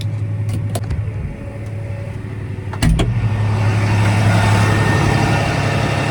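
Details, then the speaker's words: Grain cart auger pulled by a John Deere 8235R, running while being filled. A steady tractor drone with a rapid, uneven knock about four times a second; the knock is suspected to come from up on the auger, source not yet pinned down. "auger sounds terrible sounds like it's up there"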